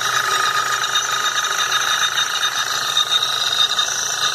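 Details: 2011 Jetta TSI 2.0: idle with a steady, high-pitched metallic buzz from the high-pressure fuel pump whose pressure regulator valve gets no current. Abnormal noise and power loss.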